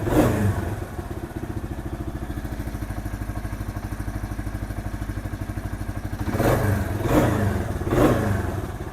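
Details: Kawasaki KL 250 single just after top-end rebuild, rings not yet seated: crisp, even thump about three beats a second with short clean throttle blips; healthy idle, starts easy, no oil leaks.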